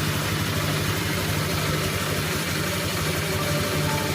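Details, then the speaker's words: Honda Vario 125 scooter at idle; rough low growling snore under the engine note, CVT sounds smooth, caused by loose radiator fan, fixed by tightening fan bolts. "Ini yang bikin suara ngorok karena oblak, kipasnya oblak."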